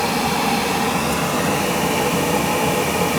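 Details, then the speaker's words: Gas boiler after the bad control board was replaced and a connection that wasn't fully in was fixed: steady, even rushing roar of the burner flame with no popping or surging. Burner lit and running normally. "houston we have ignition they're flames since the connection wasn't in all the way so"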